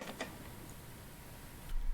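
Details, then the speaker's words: A5 Air kick scooter rear wheel with its axle nuts loosened to stop binding. A couple of light metallic clicks as the wheel is rocked, then near silence; the loose nuts leave slight wheel play on the axle. "right here is an example of um what it sounds like if i have it loose enough to where i like it but then it has the play so it's not much"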